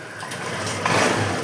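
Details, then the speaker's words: Honda Activa 6G scooter after fuel pump filter replacement to cure misfiring and poor pickup, fuel pressure checked; short crank, then it catches and settles into an even, steady idle with no stumbling. Problem solved; normal start and idle. "तो जो हमारी problem है भाई वो solve हो चुकी है।"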